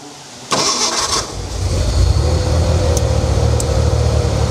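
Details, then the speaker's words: Abandoned Ford Bronco II being revived, brakes not working: engine catches after a short crank and settles into a steady, even idle with a firm low rumble, no misses or knocks; runs well, fuel pump working. "Runs good. Okay. Had to make sure the fuel pump was working."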